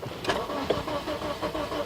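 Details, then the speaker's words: 2009 Toyota Matrix 1.8L, no start, running on the original ECM after a replacement ECM didn't help: the starter churns with uneven pulses and the engine never catches. No codes; fuel and spark were checked; a loose timing chain is suspected. "so now it won't start it's trying right it won't start and we are using uh the old uh ecm"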